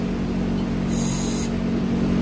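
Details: Synapse blow-off valve seal leak test on a bench rig at about 60 psi line pressure: sharp hiss for about half a second as the valve cracks, then cuts off cleanly as it seals; missing O-ring, landing appears unmachined.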